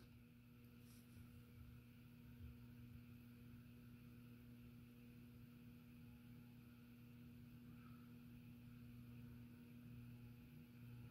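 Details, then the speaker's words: Nutone Slimline PFL-52 ceiling fan in antique brass, tested on solid state speed control: only a faint, steady low hum with a soft constant tone, the motor running smooth and nearly silent. "that's damn near silent that's that's the worst of it right there"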